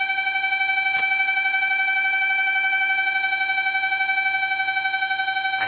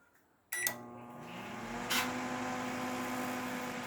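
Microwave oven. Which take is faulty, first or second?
first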